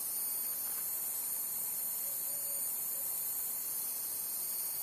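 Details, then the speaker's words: Lotos LTP5000D plasma cutter with faulty pilot arc, not cutting and no cooling fan power: steady sharp high hiss with faint whine over distant traffic, mic close to the power supply board; suspected high-voltage leak or breakdown, unconfirmed. "sounds like a high voltage leak like a breakdown"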